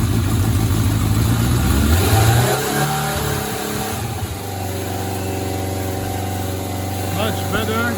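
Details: 1993 Suzuki GSX600F four-cylinder, carburetor problem solved, started on a booster: catches, revs up in a couple of blips, then settles to a stable, even idle; running clean.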